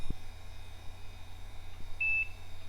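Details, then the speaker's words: HP Vectra VL Pentium II with 64 MB RAM, first power-on after repair and refresh: one short POST beep over a happy hard drive hum, then it boots Windows 98. Normal single POST beep. "Well, the hard drive sounds happy enough. And we are posting!"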